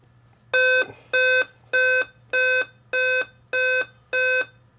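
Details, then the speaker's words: Dell Inspiron 15 5000 series (model 5552) laptop repeating seven evenly spaced beeps over faint fan hum at power-on; backlight comes on but nothing else, Dell code indicating CPU error. "seven beeps seven beeps seven beeps so it's repeating seven beeps the backlight goes on but nothing else happens meaning it's getting power to the screen"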